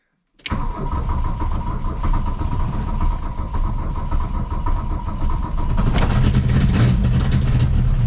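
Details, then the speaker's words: 1982 VW Rabbit diesel, injector lines bled until fuel flowed, cold choke out, glow plugs run: cranks and catches with uneven popping, then steadies as throttle is added. Hard starting. "cold choke is out glow plug's running soon as they're off I'll hit the key wants to pop off give it throughout a little bit what it acts"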